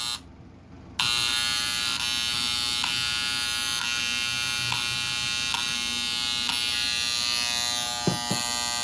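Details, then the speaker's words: Septic aerator air pump, 500 gallon/day, model HP80-011A, after diaphragm replacement: steady high-pitched electrical buzz with no pumping pulse or airflow; hums but won't run, later traced to faulty electrical contacts. "Okay, it still don't run. That surprising me."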